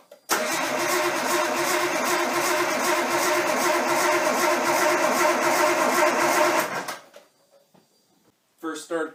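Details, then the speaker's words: Nissan 240SX S13 with swapped RB20DET, first start attempt after over a year sitting: the starter spins steadily at about three turns a second but it never fires. "so the first start attempt was a fail I kind of stood around scratching my head for a little while"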